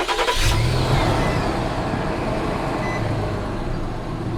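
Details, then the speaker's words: Truck engine starting and idling, then revved, after swapping a new Gates serpentine belt for a Continental one: even idle, no squeal or chirp; noise gone, owner concludes the brand-new Gates belt was faulty. "okay and let's give it some gas look at that it's not making the noise nice so i guess that was the issue the belt the bell was not not good for some reason"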